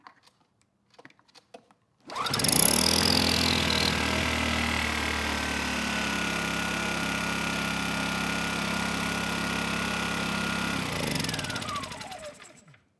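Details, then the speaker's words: Kipor KGE 1000Ti 1000 W inverter generator, about 10 years old, with a replacement carburetor: fires and runs fairly steadily, speed swelling and sagging slightly with the eco throttle off. Running lean, surging. "This time it didn't stall, but it was running lean. It was surging."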